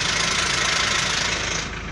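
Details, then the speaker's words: Mahindra Scorpio diesel started after sitting one month, cold start: clattering at a raised, busy idle that starts settling; high cold-start idle, expected to return to normal. "Temperature of देख सकते हैं अभी भी idol नहीं है गाड़ी side ज्यादा कर रही है मतलब फोल्ड स्टार्ट हैवी में सूजन नॉर्मल जाएगी"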